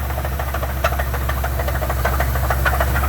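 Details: Truck idling steadily with sharp metallic knocks about twice a second tracking engine speed; owner suspects a rod knock or broken rod and is unsure it can be driven, not confirmed.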